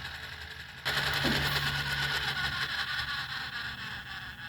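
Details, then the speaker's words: 1979 Mercedes 300SD (W116) climate control servo, wheel rolled from full cold to full hot: light, even electric whir running smoothly with no grinding, clicking or stalling, then stopping; servo operates correctly. "You hear the servo moving? It's moving all the way to the hot position, and it'll stop in a second."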